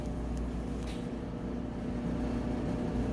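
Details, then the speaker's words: Roper-branded Whirlpool electric dryer, 1.5 years old, like-new condition, on timed dry: steady, even low hum with no knocks, squeals or scraping, nice quiet smooth drum and motor operation while heating; normal running. "You can hear it's nice, quiet, smooth operation."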